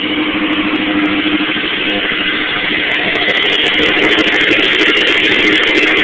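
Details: 1986 Suzuki GSX-R750 four-cylinder idling with a loud, fast metallic clattering rattle from the valve cover, which grew loud over a weekend; top-end noise, cause unknown.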